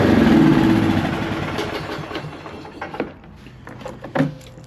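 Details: Huskee riding lawn mower that had sat for weeks, after new gas and a new ignition switch: the engine fires and settles into an even, quick putter of about four beats a second with no misses; running fine.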